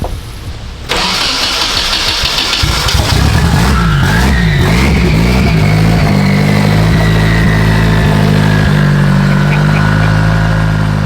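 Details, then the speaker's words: Car with a drivetrain swapped in one day, switched from ethanol to pump gas, fuel pressure raised from 34 to 42, barely any exhaust fitted. Brief crank, fires, hunts for a few seconds, then settles to a steady, even idle; normal start. "Oh my God, swap in one day. It sounds sick."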